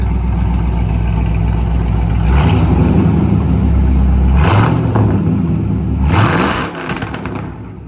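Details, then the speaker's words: Ford Mustang 5.0 V8 with stock exhaust manifolds, revved several times after start: deep rumble climbs cleanly through quick revs and drops back smoothly; engine sounds strong and healthy. "When I'm cruising, not really too loud, but once I get on it, I mean, you can hear this car open up the whole entire block. It just echoes."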